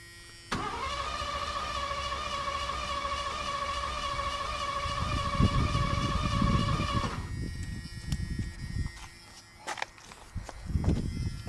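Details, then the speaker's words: 1986 Ford Bronco cranked longer to check spark: steady whir, even beats about seven seconds, still not firing, though the spark looks more consistent. Crank no start, cause unconfirmed. "What I mean by not sounding good is it still ain't firing."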